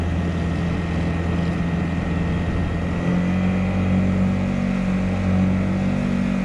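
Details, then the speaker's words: Honda GX50 50cc outboard with a 2-blade prop on a Nucanoe Pursuit kayak, cruising at about 3.9, barely above idle: a low, steady, smooth drone with a faint rising tone; normal cruise running. "So number-wise, right now we're about 3.9, as you can barely hear that engine above idle."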